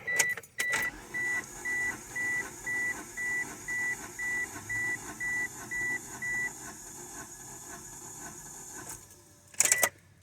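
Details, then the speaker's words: 1995 Mitsubishi Eclipse GST, stock bottom end, cranking about 7 seconds during compression test: even starter pulses about two per second over steady gauge beeps, uniform strokes; cylinders reading about 180–190 psi, good compression. "Just gonna crank it a couple times. I'm counting to about 7 seconds or so."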